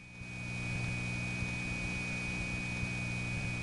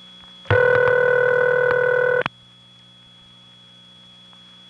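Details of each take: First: 1979 Raleigh NC analog phone line on balanced power from an outgoing trunk circuit over a long wire trunk group. A thin, steady high squeal over a low hum on an otherwise quiet line. Crosstalk from other trunks leaking into the connection. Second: 1979 Raleigh NC call to a crossbar 5 office over squealy wire trunks. A steady ringing burst of about two seconds, a long quiet gap, then the next burst. Normal standard crossbar 5 ringback cadence.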